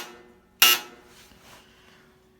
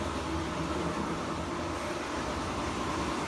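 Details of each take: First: Sears Kenmore laundry center dryer, buzzer triggered by rotating the dial with the door closed: a short, sharp buzz sounds once in a quiet room, then stops cleanly; signal buzzer works normally. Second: Kenmore laundry center built by Frigidaire, washer spinning: a loud, constant rough rumble with a coarse churning edge while the drum turns, and a quieter noise as it slows to a stop. Worn drum bearing.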